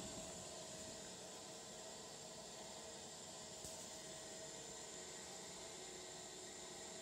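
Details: Blast City arcade cabinet power supply fan gives a constant airy whir with a faint steady high whine and runs louder than it should. Owner thinks the fan needs replacing.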